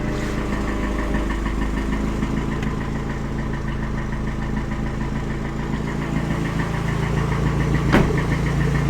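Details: Toyota 3S-GE turbocharged petrol engine at idle: low drone with a steady light knock about three or four times a second, strange noise of unknown cause.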